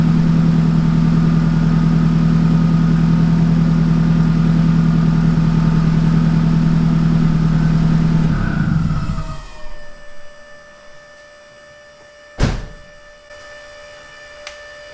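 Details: Donor Nissan 180SX engine, checked after an accident, first run on a new primed fuel-pump setup: steady, even idle with a smooth low hum for eight seconds, then shut off. It runs cleanly with no knocks or misses.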